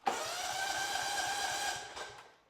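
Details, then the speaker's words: Kohler Command CV15 engine cranking with a spark tester fitted: the starter churns steadily with no firing at all and there is no spark. The plug was replaced, and the ignition coil is the failed part. "I'm going to go ahead and crank it up. There is absolutely no spark."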